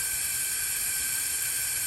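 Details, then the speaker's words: 2007 Freightliner Columbia, Series 60 Detroit, engine off, ignition on, air above 100 psi: a constant sharp hiss of air escaping through the fan clutch hub, so the hub is bad. "do you all hear that air coming out of the air hub right now that means it's bad"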